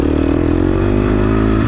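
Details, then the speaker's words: Enduro dirt bike on trail, rider standing on pegs, weight back, braking hard into a corner: rapid even rattling pulses over loud engine drone; drive chain chatter under hard braking. "I'm standing on the pegs and I'll either you know I try to get hard like on this corner right here you hear that chain"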